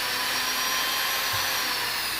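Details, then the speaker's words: Jewellery flex shaft motor running at its maximum 18,000 RPM: smooth, steady high-pitched whine with no wobble or rattle, sounding healthy. "So you know that is 18,000. Okay, so this is 18,000."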